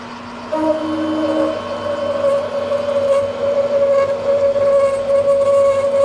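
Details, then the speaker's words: Manual lathe parting cut on the Hardtail vise nut, fed by hand: steady high singing tone near 600 Hz as the cut starts and holds, the parting tool still chattering. "It's still trying to chatter. Let me go down another speed here."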